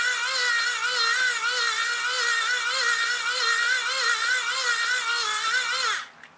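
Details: 30W hand crank generator strapped to foot, cranked by hand at maximum current output (about 2.7 A): high whine near 500 Hz surging and easing about once a second, smooth and even; healthy under full load.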